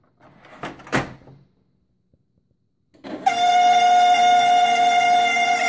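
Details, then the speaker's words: HP LaserJet 1200 printer with its sides and top removed: a loud, steady, high-pitched squeal traced to the laser scanner motor, which stops when the scanner cover is held in; the fix is lubricating the scanner motor. "So what I did is I took the sides off and the top off and did a little bit of investigation, and I found out it's the laser scanner making the noise."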